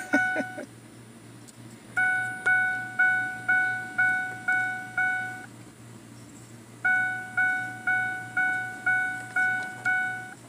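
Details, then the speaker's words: Truck with steering column covers off and electrical tape wrapped around the ignition cylinder: key-in warning chime repeating about twice a second, briefly cutting out then resuming; stuck on, possibly from a faulty ignition cylinder key switch. "the dinger actually turned off okay see there goes it turned off and it's back on"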